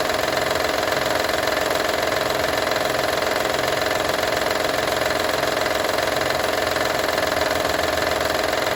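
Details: Honda Odyssey 2012 at idle: a fast, even metallic ticking rattle, roughly 160 per minute, over the engine; owner asks what needs fixing, exact source of the engine rattle can't be pinned by ear.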